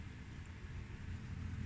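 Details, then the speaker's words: Luxman LV-105 amplifier on speaker A, left channel: steady low hum and distortion with nothing playing; suspected dirty/lost connections in input, speaker selector and tone boards, later cleaned and resoldered. "Oh, ini terjadi distorsi bunyi bunyi ini dengung nih. Ada sesuatu yang enggak benar nih."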